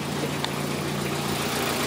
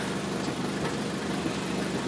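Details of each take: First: 2003 Toyota Corolla with intermittent P0301 cylinder 1 misfire and power loss, after replacing bad fuel injector: even, steady idle with smooth low hum, no skips or stumbles; misfire counts all zero, running cleanly. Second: 2003 Toyota Corolla, P0301: idle stumbles with irregular, lumpy beat; after swapping ignition coils 1 and 3 the misfire stays on cylinder one, so not the coil, spark plug next.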